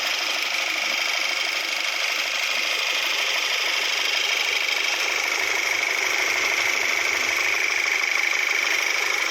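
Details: Volkswagen Tiguan, 90,000 km, after engine overhaul for a broken valve spring that dropped a valve into the cylinder (one piston replaced): even, light ticking idle with steady high hiss, no knocks or misses; running smoothly.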